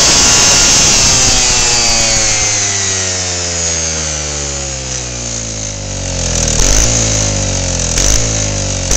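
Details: Lawnmower engine on 10% ethanol (E10) fuel, 53° outside, spark plug wire unhooked, winds down then climbs again in uneven surges with no governed speed; owner suspects hot spark plug and engine ignite the ethanol.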